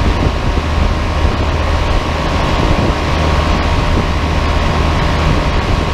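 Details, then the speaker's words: Giant Trane Intellipak rooftop unit: deep steady low hum with constant mid whine, no knocks or rattles, one large Trane scroll compressor just turned on, running normally and loud. "yeah it's just this one compressor here that turned on i guess we'll wait for the others"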